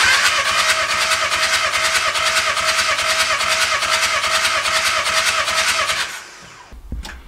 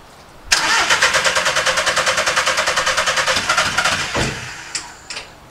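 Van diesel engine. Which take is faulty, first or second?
second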